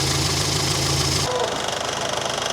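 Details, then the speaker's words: Morris Minor during tune-up, points distributor recurved, warming up: rapid light ticking from the electric fuel pump over steady idle, easing off as it gets quieter. "Ignore that noise, that's the fuel pump. It does get quieter."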